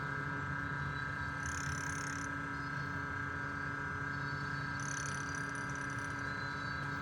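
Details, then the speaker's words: DF64 Gen 2 espresso grinder after cleaning, calibrating: steady motor hum with two brief high chirps as the burrs just touch while the adjustment dial is tightened, marking the zero point. "To calibrate it, we switch on the grinder and keep tightening the adjustment dial till we hear the burrs chirp."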